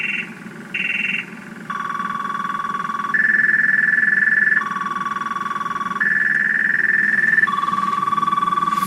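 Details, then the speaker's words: Truck whose battery was drained by lights left on overnight, before the jump start: a loud electronic siren steps between two pitches every second or two, pulsing steadily, as the flat battery sets off the alarm. "there see there it goes again that's all she's doing nothing battery's [ __ ] and there she goes again as you can hear this [ __ ] is loud"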